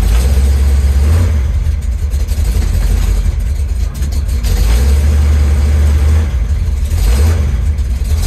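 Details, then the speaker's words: 1973 Chevy Nova V8, now on a Street Demon 750 carburetor instead of EFI, just after a cold start following days unused: lumpy idle wavering and stumbling, hard starting; owner needs cold-start adjustments. "i gotta do some uh cold start adjustments it's kind of hard to start"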